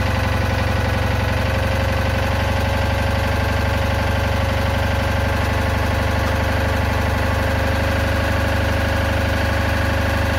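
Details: Citroën Ami 8 flat-twin, hot, coil warm: uneven, stumbling idle with regular dropped firings, still misfiring; points spark heavily, weak plug spark; owner is certain the ignition condenser is at fault.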